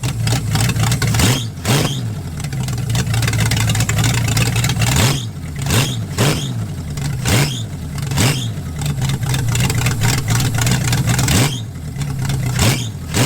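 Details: V8-swapped 1946 Dodge Deluxe on a cold day, after bypassing the neutral safety switch: deep lumpy idle with free, clean throttle blips and no misses; now running, and the owner believes the cause is found.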